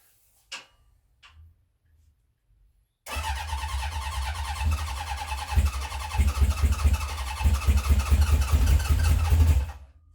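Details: 1970 Honda CB750 K0 four, first start after decades sitting, remote fuel tank, choke on: long crank with uneven chuffing and occasional catches that never pick up; fails to start, seems short of fuel, oil light out.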